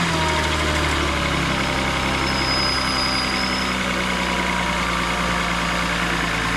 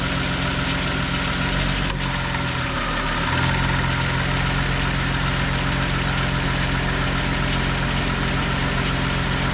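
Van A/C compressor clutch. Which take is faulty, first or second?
first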